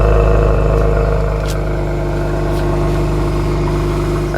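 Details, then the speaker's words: Cold-start idle of a Genesis G70 with a downpipe, high-flow cats on the secondaries and an HKS intake. The fast, light ticking over the low rumble is normal direct-injection (GDI) injector noise. "now that clicking that you guys hear that's just like your typical GDI engine they just make that noise so don't worry if it's kind of like loud that's just typical"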